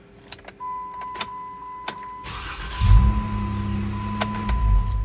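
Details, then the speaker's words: Jeep after replacing starter, relay and starter wire pigtail, battery fully charged: steady chime, starter catches cleanly and engine settles into even idle with no hesitation; hard-start fixed. "we're going to call that a fix baby cool thanks for watching"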